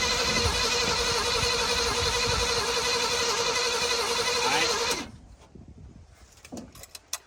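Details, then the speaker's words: 1979 Chevrolet C10 pickup revived after long storage, choke on: rough uneven cranking and firing with sharp pops, then it dies abruptly; backfire suspected from spark plug wires installed out of firing order. "Don't throttle it. Just crank it now. It backfired. You sure you got the wires right?"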